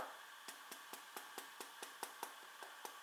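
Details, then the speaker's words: New, never-dropped Huawei P8 Lite tapped about four or five times a second: each tap brings a faint loose internal click or rattle. Owner suspects the camera lens or an unsecured internal antenna; a second unit showed the same fault. "ja hallo leute und zwar hier habe ich das huawei p8 leid gerade fabrik mal ausgepackt noch nie heruntergefallen und hier gibt es folgende sache das gerät rappelt ich zeig mal wenn man dagegen klopft ich hoffe ihr hört es"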